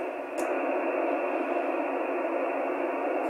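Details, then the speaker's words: Icom 756 Pro receiver with an MFJ-1026 noise cancelling signal enhancer, in bad band conditions. A steady hiss with rising humps of hash filling the band and no clear signal: radio frequency interference noise from a dishwasher running downstairs. "all those humps there are coming from my dishwasher that's running downstairs"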